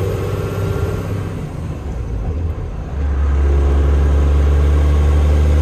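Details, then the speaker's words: 12-valve Cummins diesel truck with new head studs, AFC housing, fresh fluids, after gear repair (new countershaft and main shaft gears, synchronizer, clutch cone, fluid), first drive: deep drone dips through shift, pulls strong and even, no gear whine or clunks; normal transmission and engine. "Runs good. It seems like it's got some work to it. Sounds good. Show you guys running through the gears."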